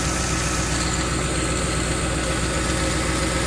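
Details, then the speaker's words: 2010 Ford F-150 4.6 V8, rebuilt and reinstalled with exhaust manifold leaks fixed: deep, even idle burble with no misses, ticks or knocks; a smooth, steady, healthy idle. "let you listen to the engine sounds she purrs like a kitten no miss no knocking the camera probably won't do it justice"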